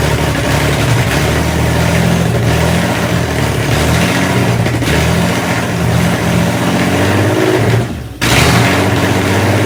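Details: Fake Aston Martin replica kit car, start after cleaning gummed carb linkages, brief run with no cooling set up: loud steady rumble picking up cleanly on each throttle blip, brief drop near the end; runs and revs properly.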